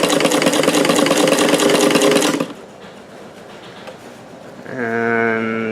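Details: Davis vertical feed sewing machine with a 15x1 needle after loosening the bobbin tension to stop puckering; rapid even stitching clatter then motor stops, no catching or knocking, tension now very good.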